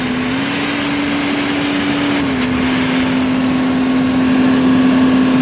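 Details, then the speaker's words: John Deere 4052R Tier 4 diesel towing a wagon with about 4 yards of dirt, throttle opened: steady, hard-pulling tone with airy rushing on top. This is a normal diesel particulate filter regeneration burn under load, giving off serious heat. "But under load, I'm towing this barge wagon with probably 4 yards of dirt or so. You'll hear it open up. You'll hear it start burning off pretty good."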